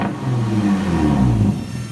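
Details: 2005 Nissan 350Z after P0021 fix (cam and crank sensors, then VVT solenoid replaced): quick clean rev, pitch rising and falling smoothly, no stumble. Normal revving.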